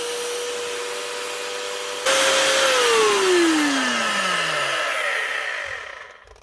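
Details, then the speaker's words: Galeski Polifox wet grinder/polisher after bearing replacement, speed control never adjusted, non-matching new brushes, armature still sparking; motor spins up with steady whine then winds down, faint gritty rasp, slight gear roughness remains. "That is her up and running again with new bearings. But most certainly still not perfect."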